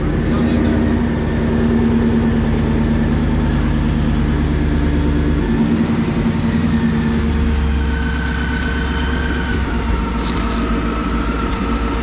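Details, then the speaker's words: Ford Mustang GT (S197) V8 at idle: rough rumble with quick uneven ticking puff, louder on the left side; exhaust leak found at the catalytic converter, long suspected blown. "we can get squared away right now is that exhaust leak. So, we're going to get this thing turned on, figure out where the hell that's coming from."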